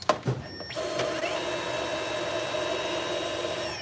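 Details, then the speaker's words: Stick vacuum motor tested after teardown, previously sounding badly wrong: steady high whine with clean even pitch and no rattle or surging; motor runs normally, so the faulty part is to be replaced instead. "Okay, so it sounds fine. So really our solution right now guys is to replace this bad boy."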